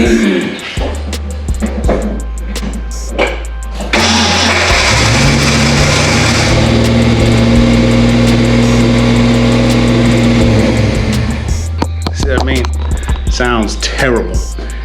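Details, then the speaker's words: Ford Fox-body Mustang with newly fitted starter: after cranking the engine fires but a loud harsh grinding whir hangs on about seven seconds as the starter stays engaged; owner suspects a bad new starter or a fault keeping power to it. "i got a new starter and this thing is is hanging up it's grinding or just just basically hanging up whenever i start the car"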